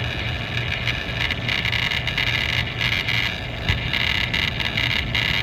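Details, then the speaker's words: Power Mac G4 booting and running: steady whirring with a faint high whine over a low hum, no clicks or grinding; machine is very loud, but the hard drive is supposed to sound like that, healthy. "Yes, the hard drive is supposed to sound like that."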